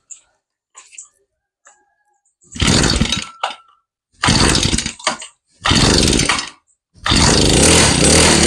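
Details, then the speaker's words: Small two-stroke grass trimmer that died once hot, after replacing the faulty ignition coil (no spark at plug): now starts readily and buzzes in strong bursts with clean revving; ignition fixed. "โอเคตอนนี้ก็สตาร์ทติดแล้วนะครับ"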